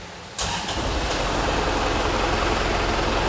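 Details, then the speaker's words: Isuzu Panther diesel MPV, engine started: brief crank, catches at once, settles into loud clattery but steady idle with strong vibration; normal for this noisy diesel. "Mesin diesel ini memang jauh sih dibanding mesin diesel yang dipakai di Innova ataupun R3 ataupun solar-solar untuk MPV lainnya, dia suaranya sangat berisik, getarannya sangat kuat."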